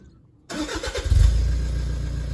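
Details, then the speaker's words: Freshly installed new engine and new turbo, replacing a setup around 300,000 km that was pumping out oil: it cranks briefly, catches cleanly and settles into a steady, even idle with gentle revs. No knocks or rattles; a healthy start. "I might start it up let's see what happens oh beautiful have a listen to that man give it a few gentle [Music] RS oh doesn't that sound better absolutely beautiful"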